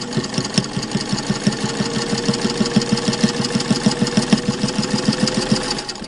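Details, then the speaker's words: 1591 direct-drive sewing machine stitching four layers of muslin for a mask liner. Steady, even stitch rhythm at about three beats a second, no knocking or binding through thick cloth; machine running healthy. "so that's four layers of muslin and as i just said i don't even have to think about whether or not the machine will go through that which makes sewing easier"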